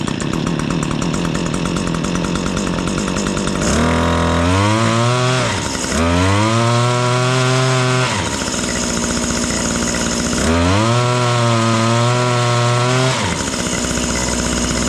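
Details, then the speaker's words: Stihl HS80 two-stroke hedge trimmer, air filter like new, started on choke/fast idle: revs sag and fall back, bogging; suspected carb adjustment or restricted exhaust screen, later found not the screen. "Y'all hear that? It's kind of bogging out. It's either a carb adjustment or that restricted exhaust screen."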